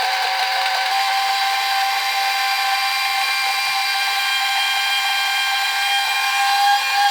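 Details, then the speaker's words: Addams Family Thing coin bank, marked 1966, on two U11 batteries, fed a 10p coin: loud, steady high-pitched whirring from small motor and gears that never stops; mechanism running continuously, suspected stuck, not confirmed. "Sounds like it's going to explode. I'm guessing it's stuck somehow."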